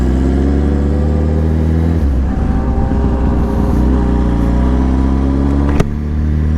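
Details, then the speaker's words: Yamaha R1 inline-four in rain, cutting out worse as it cools to about 61–71 degrees on the gauge: steady note drops and stumbles with ragged, uneven firing; engine cutting out when cold, cause unknown. "Cortando, quando ela esfria aqui a temperatura aqui. Quando ela esfria a temperatura, ela corta demais. Quando ela desce aqui pra 61 graus, 71, ela corta muito."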